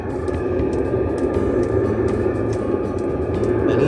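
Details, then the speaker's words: Diesel heater newly installed in a truck camper with standard fuel pump, heard from outside: steady roar of blower and burner with light regular ticking from the fuel pump, barely audible inside; runs cleanly. "That's it running at the minute. You can hear the fuel pump, but you can't really hear that fuel pump inside. I'm well impressed."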